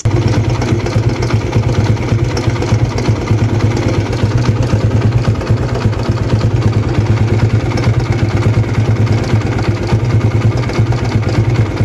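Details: TVS Apache RTR 160 before tensioner replacement: fast, uneven metallic chatter over the single-cylinder idle thump, timing chain slapping from worn tensioner assembly.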